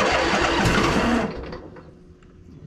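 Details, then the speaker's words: Crusty Poulan Pro zero-turn: a sluggish, dragging crank for about a second before the engine catches. The owner suspects the solenoid needs a better connection. Slow cranking. "I think that that uh solenoid probably needs a better connection too"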